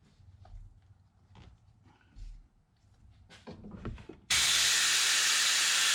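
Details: Air-driven venturi coolant vacuum filler on a 2016 Ram 3500 6.7 high-output diesel during a coolant exchange with Water Wetter: clicks and handling, then a sudden loud steady air hiss as it pulls vacuum; normal operation.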